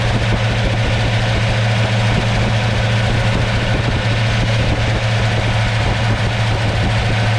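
Deep, steady, even rumble at about 800 rpm with no misfire or stumble; a healthy warm idle.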